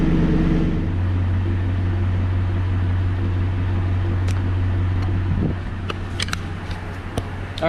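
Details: 2016 Toyota Tundra Platinum 5.7 iForce V8 idling just after Corsa 14916 sport exhaust install, first start: deep, even burble with steady low rumble, no misses or knocks, then settling quieter; running normally.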